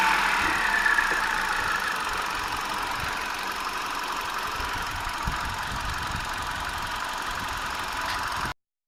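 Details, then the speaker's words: 2009 Hyundai i20 petrol engine idling evenly after a faulty water pump was replaced, now much quieter; only a light, quick normal fuel injector tick remains over a steady hum. "okay guys so there's a new water pump fitted the engine so much quiet now it's unbelievable you can still hear the ticking the ticking so they were ticking you can areas.the the injectors but yeah that's it it's all good"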